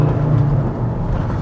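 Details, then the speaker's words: 370k-mile Volvo V70 five-cylinder with 5-speed manual, under way after owner servicing and induction/EGR work: deep, smooth, even drone with no knocks or misses; normal healthy running. "That's a nice sound."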